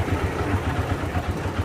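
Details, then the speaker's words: Honda Supra Fit New motorcycle engine, very rough: low uneven thudding idle with a gravelly rattle like stones inside; cause unknown, engine to be removed and fully disassembled. "Lanjut saja, nggak usah banyak basa-basi, kita cek bagaimana suaranya bro ya. Suaranya tuh kasar seperti ada batunya di dalam itu ya bro"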